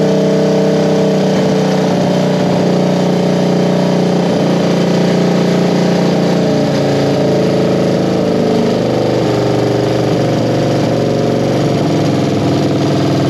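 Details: 1973 Honda CB350G twin on newly installed Mikuni VM28 carbs: runs at a fairly steady beat with small pitch drifts; sounds pretty good, needs a little carb tweaking after fuel was slow to reach it.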